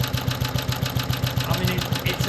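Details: BSA/Villiers 119cc Sloper, after carburettor/engine service: a slow, even low thump with a soft rhythmic breather puff on top and heavy flywheel; a steady, normal idle.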